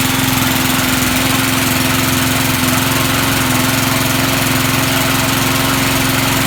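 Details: Vintage Sears/Montgomery Ward push mower, likely stored unused since a winter, started right up without starting fluid: single-cylinder engine holds a steady, even putter at constant speed, no misses or knocks; normal running.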